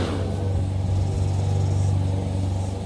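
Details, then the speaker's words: Ryobi 36V cordless electric lawn mower running after it would not start until the safety key was reinserted the right way round. Steady low motor drone with an even rapid beat and no misses or knocks; running normally. "now you get it can you hear the sound it's even musical right it's a musical song"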